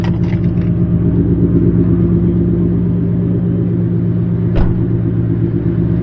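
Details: Newly installed Ford Coyote V8 with 214 miles, driven gently, about 22 mpg: deep, even idle rumble with a steady beat and no knocks or misses. Normal idle.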